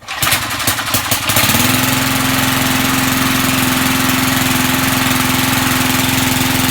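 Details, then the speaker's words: Vintage Sears/Montgomery Ward push mower, likely stored unused since a winter, started without any fuel additive: after a few cranking pulls it settles into a smooth, even small-engine beat, steady drone, no misses or knocks; normal running. "can't believe that's the smoothness I haven't seen one of these companies run"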